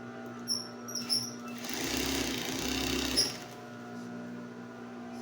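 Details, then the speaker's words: High-speed single-needle industrial sewing machine, sewing test after replacing the faulty capacitor (motor had only hummed, not spun): quiet steady motor hum with light even stitching whir, no dragging or knocking. Runs normally after repair. "Tingnan natin kung tatahi na siya. Ayun umandar na. Maganda na yung andar niya."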